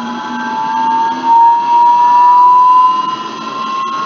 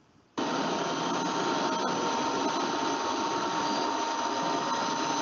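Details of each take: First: Electric motor and bearing on run-up test, microphone recording: clear tone near 1 kHz rising in pitch with speed, loudest at a critical speed; tonal yelling bearing whine. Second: Electric motor after its bearing was replaced: steady even whir, no grinding, rumble or ticking, spectrogram free of red spots; normal running, noise-free.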